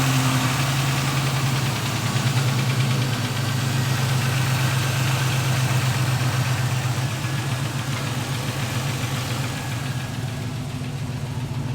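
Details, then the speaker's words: LS-swapped G-body Cutlass V8 with a three-year fuel system issue, started on a borrowed battery; owner reports a lifter issue: steady idle with light, quick ticking at about four per second over the deep rumble, a noisy lifter; a fuel leak was found. "He said it does have a lifter issue. Obviously, we can hear the lifter is going a little crazy."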